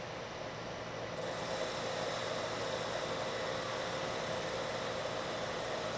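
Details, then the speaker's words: Lathe turning a long, thin part after a center is machined into its end, at the same depth and speed as the earlier chattering pass. A steady, even hiss with no chatter, leaving a much better surface finish. "this time you don't hear the chatter and if I stop the machine you can see I have a much better surface finish"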